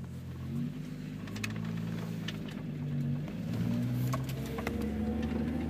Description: mk3 Jetta vr6 Intermittent Clicking from drivers front wheel